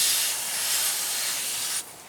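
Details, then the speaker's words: Tire on a C3500 one-ton dump truck that went flat with no nail or screw found: a steady sharp hiss of escaping air for about two seconds from a slightly loose screwed-on valve stem extension; tightening it fixes the leak, possibly loosened by pressure washing. "So here's the extension. It was screwed on there, and it was a little loose. And for some reason, when they're a little loose, they let the air out."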